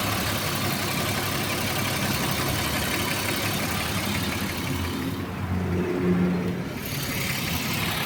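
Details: BMW E34 with M50B25 engine at idle, light fast tapping from the top of the engine; hydraulic lifter tapping.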